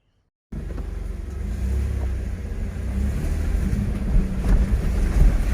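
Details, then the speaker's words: Isuzu Trooper driving over potholes after fixing a two-year cabin squeak: only steady road rumble and engine drone, no squeaks or creaks; only a plastic roof box taps on bumps. "замечательно перед тишина сейчас опять будут ямы сейчас узнаем как хорошо тихо"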